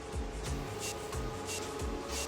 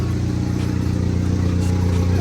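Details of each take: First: Starter cranks in a quick even chatter for a few seconds before the SRT4 catches and settles; long crank before firing, fuel suspected draining back to the tank; runs well once started. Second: Normal running of the SRT4 after ECU repair, once fuel drain-back to the tank was overcome by extra cranking and priming: steady, even low rumble with no misses or knocks, loud side-exhaust drone.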